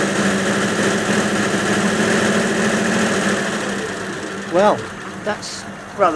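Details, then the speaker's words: 1941 Ford pickup flathead that started but would not rev, now running with a temporary harness and substitute condenser: steady, even running with a smooth low drone and no misses; normal running. "okay that's running all right"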